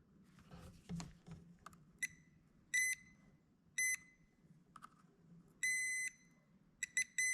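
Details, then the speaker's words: Old Stihl 041AV chainsaw that would not shut off, stop switch tested with ohmmeter between terminal and spark plug nut: continuity beep cuts in and out irregularly as stop button is worked; dirty or broken stop switch suspected, unconfirmed. "I'm touching the other terminal basically to this metal nut and you can hear it's very intermittent which whenever you hit the stop button it start spitting and"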